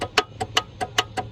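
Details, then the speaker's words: Vehicle after starter wires were removed, cleaned and refitted, battery reconnected: sharp, regular ticks about five per second with no cranking; the starter clicks but the engine does not turn over; owner unsure whether the engine is seized. "don't just tick at me damn it keep cycling it see if maybe it all suddenly it's not even trying"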